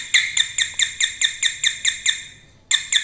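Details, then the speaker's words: Household doorbell at home: thin high ding repeating about twice a second, then a short gap, much quieter than normal with sparking at the wire; weak chime traced to a swollen failed capacitor. "लेकिन दोस्तों आवाज़ बहुत हल्की है इसकी इससे ज्यादा तेज आवाज़ होती है इसकी"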